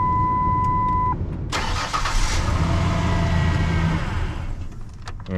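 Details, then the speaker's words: 1998 Ford Ranger 4.0 right after power steering pump replacement, engine run a few seconds while bleeding: low droning whine from the new pump still full of air. "i'll do that a couple times until it stops sucking it down and then i'll start turning the wheel back and forth well those instructions weren't kidding man it's still kind of noisy"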